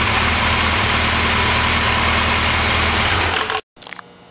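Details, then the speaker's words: Kawasaki Concours ZG1000 during carb sync, with the number-one throttle closed back to its setting after being opened: steady, even four-cylinder idle with a smooth exhaust pulse and no stumble; running cleanly in sync. "I'm going to close the thr on number one a little bit bring it back where it was and you can hear how much better the idle"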